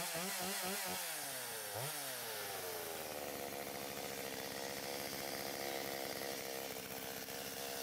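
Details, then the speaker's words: Stihl 025 chainsaw after oiler repair (new oil pump, worm gear, O-rings, pickup; glued pump holder melted by clutch bell), bar and chain refitted: quick throttle blips then steady even high buzz; revs freely, running smoothly. "I am going to put my bar back on put my chain back on and run it and just to make sure that the chain is actually throwing off some oil"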